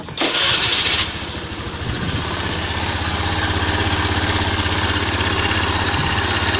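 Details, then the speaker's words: Automatic scooter after refitting the CVT with extreme racing rollers, which had caused rough CVT noise and surging; CVT bearing not replaced: fires up into steady even idle with clean exhaust beat, no rattle, vibration or grind; normal idle. "tetapi disini mesin sudah halus jadi ini tidak akan saya ganti"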